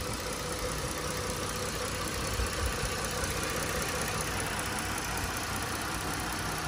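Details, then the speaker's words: 2012 Ford Taurus Limited V6 idling, heard with hood open: steady, even idle with a smooth hum and no ticks or strange noises, sounds healthy. "you can hear that the car is running right now no ticks or any strange noises"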